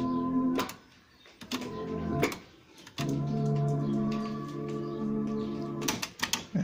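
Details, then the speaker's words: CCE SS6880 3-in-1 stereo from the 1990s, cassette deck: music dull and lacking treble with handling clunks; both decks sound muffled, one also wavers slightly in speed. "Esse deck tá legal, esse aqui ele tá falhando um pouquinho na velocidade e os dois estão com um som bem abafado"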